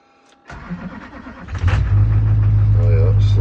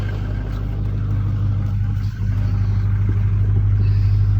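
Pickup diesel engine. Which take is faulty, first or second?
first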